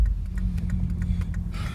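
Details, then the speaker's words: Subaru Forester EJ251 driving uphill under load: steady low drone with a light regular tick about five or six times a second; owner suspects rod knock, not valvetrain, as it fades in neutral near 1,000 rpm. "Carol is it's really only under load so I really don't think it's a valve train issue it to me in all seriousness of sons like rod knock"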